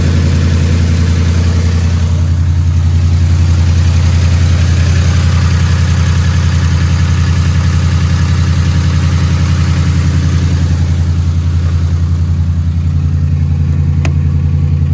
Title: 2011 F150 Gen 1 Rod Knock